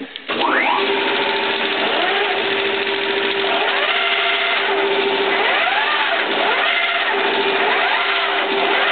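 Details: 1K62 lathe running after its clutch packs were adjusted a click at a time. The electric motor settles into a steady tone, gears whir evenly with a slow repeating swish, and the lathe spins smoothly without clutch slip.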